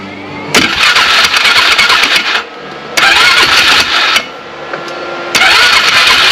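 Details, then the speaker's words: 2009 Polaris Sportsman 500 ATV, belt cover off: engine flares in repeated loud bursts that drop back under load as the belt slips; driven clutch rub blocks worn completely off. "what it looked like was the outer pulley was jerking this inner pulley looked like it was just it was spinning and slipping"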